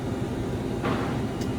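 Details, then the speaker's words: Electrofreeze soft-serve machine barrel back up and running, not low on refrigerant gas, with worn blades and loose rear beater seal: steady low motor hum, even churning drone and one brief scrape; normal running. "It was not low on gas."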